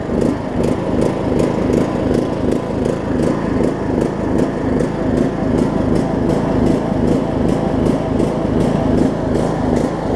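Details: John Deere LA105 riding mower, unrun about three years, after tank cleanout and carb cleaning, cold about 40°F, carb float suspected stuck and dumping gas: single-cylinder loping, pulsing about twice a second, never settling; surging and running rough.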